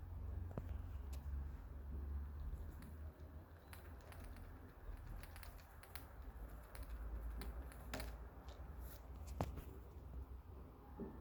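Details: Irregular light clicks and taps, about four a second, of something loose rattling inside the small plastic housing of Aftershokz Aeropex headphones, just after a year of use.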